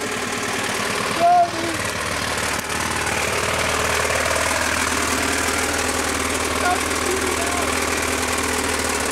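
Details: Toyota 22R four-cylinder in a 4x4, started after throwing a rod out the side of the block: harsh clattering hammering drowns the engine as the crankshaft beats inside, sparks flying out; thrown connecting rod.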